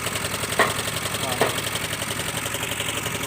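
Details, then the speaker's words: Yamaha Mio Soul i 125 scooter, about 4 years old, cold start in the morning: steady, rapid metallic knock over the idle that fades once warm; head and cams to be checked, crankshaft bearing knock suspected. "yung Trouble niya is lumalagitik na yung makina niya pagka ini-start mo sa yung unang gamit mo sa umaga tapos and then kapag uminit is nawawala na"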